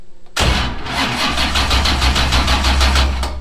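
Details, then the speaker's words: 427 ci LS with solid roller cam, dry sump and 18:1 compression, first start on a Link ECU, starter engagement check before fuel is on: the starter bites, then slow heavy cranking about four strokes a second, straining on every compression. "Yeah, and you can hear how much it struggles because that is a starter for an 18-to-1 compression engine."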